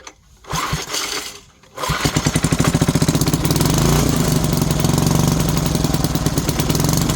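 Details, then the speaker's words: 1970s Briggs & Stratton 4hp engine on an air compressor, after freeing a tangled starter rope, with choke: a couple of rope pulls, then it catches into a quick, steady single-cylinder putter with no misfires; normal start and run. "I don't want to run too loud tonight but uh yeah that's pretty cool fires up and runs"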